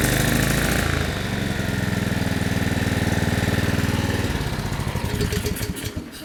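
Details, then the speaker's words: Older (possibly 1990s) Generac/Briggs & Stratton 4000XL generator, 7.8 hp Generac engine (believed GH220), on full choke with starting spray, smoky: uneven putter about four beats a second slowing until it dies; stalls after starting, carburetor issue suspected. "Nope. All right, I think we got to figure out what's making it smoke and figure out why it doesn't want to stay running. Probably a carburetor issue."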